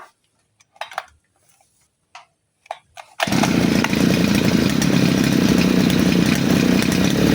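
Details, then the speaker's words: Side-mounted brush cutter, carburettor mixture screw returned to the nylon-line setting while running: a few pull-start rattles, then it fires and holds a steady high buzz with no surging or stumbling; powerful and fuel-efficient, setting right. "Kembali lagi ke setelan menggunakan senar, mesinnya bertenaga dan irit BBM ya."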